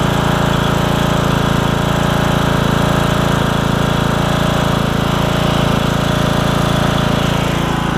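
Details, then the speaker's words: Briggs and Stratton single-cylinder riding mower engine with new HiPA carburetor, blades spinning for testing: steady, even thump with no misses or surging, pulling the load smoothly; normal running under load. "And I'll show you with the blades on, because I had to test the blades out too while I was at it."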